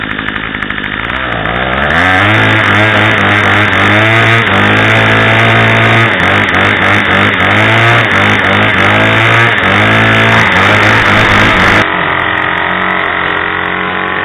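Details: Craftsman/MTD 25cc two-stroke curved-shaft string trimmer just after carburetor and mounting gasket replacement (Walbro carb), primed and choked to start; high buzzy note revs and settles crisp and even, no stumbling; normal running.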